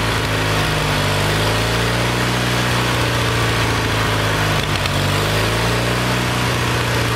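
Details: Kohler Magnum 20 after a carburetor rebuild, mixture set at operating temperature. Fairly steady, fast single-cylinder thumping with one brief dip near the end. About 40 years old; the engine probably needs a valve job, which may cause problems mistaken for the carburetor.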